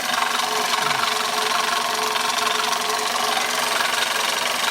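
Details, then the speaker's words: 1999 Toyota Corolla idling: harsh, gritty, roughly rhythmic grinding over a steady idle from a failing power steering pump, later replaced. "And as you can hear, there is a grinding sounds on this car. The most common problem with this is we had a busted power steering"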